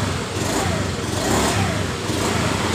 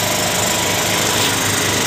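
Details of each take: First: Honda Beat FI scooter that starts, idles and has normal electrics, with no fault code: when the throttle opens, revs surge and sag about once a second instead of pulling cleanly; fuel pressure suspect, weak pump or regulator. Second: Honda Beat FI scooter after the fuel pressure fix, pressure at 42 PSI: steady, even idle buzz with no stumbling or misfire. Normal idle. The original complaint was hesitation when opening the throttle.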